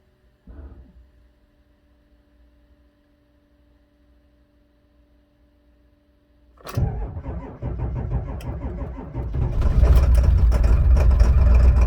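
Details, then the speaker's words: 2002 Ford F350 7.3 diesel at about minus 4°C, cold start on booster battery, serpentine belt off: catches after about seven seconds, then loud lumpy uneven rattle; misfire at idle, owner suspects a bad glow plug. "kind of missing it I think it has a back low plug about minus four Celsius today see the check engine light is still on"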